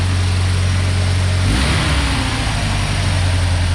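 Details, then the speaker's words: 1990 Ford Ranger with a reman long block runs smoothly when cold. On throttle it turns ragged and misfires, dropping at least one cylinder and shaking hard, worsening at higher revs; cause not yet confirmed. "and a throttle input and it starts misfiring I don't know if you'll be able to see it and it's shaking pretty good it's dropped at least one cylinder and it gets progressively worse"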